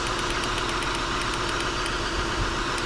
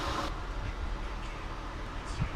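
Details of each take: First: 2000 Acura TL idling with misfire codes P0306 and P0300, flashing check engine light and TCS light on. Uneven, lumpy idle with irregular ticking from a misfiring cylinder; a failed ignition coil is suspected. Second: After a 2000 Acura TL with a flashing check engine light and codes P0300/P0306 was misfiring badly, reseating an ignition coil that wasn't fully pushed down cured it: the engine now idles with a low, steady rumble and no skips, smooth.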